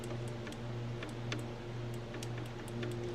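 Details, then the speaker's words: 1966 Mercury Montclair, not run in 20 years, ignition points filed and cleaned: scattered sharp little snaps over a faint hum as the points open, spark present, so the ignition is working. "We're getting spark off the points. Yep. We have got spark."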